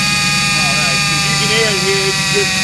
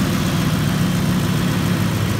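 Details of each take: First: 2005 Ford F-150 5.4-liter at idle before pump replacement: constant high-pitched whine steady over the idle until shutdown, from a failing, extremely noisy power steering pump. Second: 2005 Ford F-150 5.4 L after power steering pump replacement and air purge: deep, smooth, even idle with no whine or groan; power steering pump quiet, night-and-day difference from before; normal idle.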